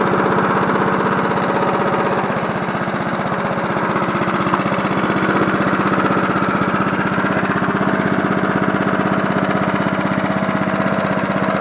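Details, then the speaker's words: John Deere NO20K push mower (1980s), after cleanup, final startup on choke: small single-cylinder runs with steady, even putter, about four beats a second, no misses or knocks; healthy idle. "Run it on choke. Start it back up. Sounds pretty good for a John Deere."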